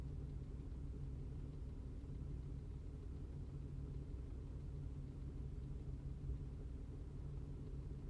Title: 2005 Cadillac CTS 2.8L ROUGH IDLE MISFIRING